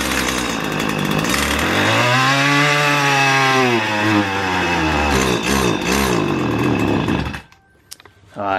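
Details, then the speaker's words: Roadside-found two-stroke weed eater after cleaning clogged spark arrestor, not warmed up: strong smooth buzzing rising and falling with throttle, no stumbling; runs well after fix. "i didn't let it warm up but uh it cranks right up and has no issue running uh running around the yard a little bit just walking around and uh it runs really good"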